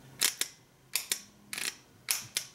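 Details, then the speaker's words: Original Ford F-150 fender-mounted starter solenoid bench-tested by grounding the back plate and touching the signal wire: four sharp paired clicks as it pulls in and drops out; it works now but has been intermittent and weak, starting to fail. "When we do, we should hear this solenoid click. Now, this one's been intermittent, so maybe it'll work, maybe it won't."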